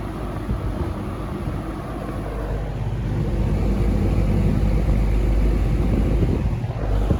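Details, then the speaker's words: Restored, repainted early-1970s Eskimo 20124 fan starting up: soft whooshing airflow building as the motor comes up to speed under a low, even hum, no rattles; running normally. "slow low is very nice it's quiet good breeze i really like low on this fan"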